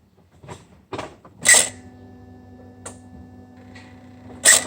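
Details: BMW E46 330d M57N: sharp mechanical clicks, then a steady electric whir ending in a loud click, an abnormal noise from the turbo actuator.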